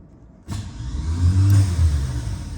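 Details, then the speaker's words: Corvette split-window coupe engine not run in 25 years: the starter, jumped directly with a jumper wire from the red to the purple wire and heard from the fender, gives a steady low churn for a couple of seconds, working fine. "You guys can hear that out on the fender. The starter is working. That's great."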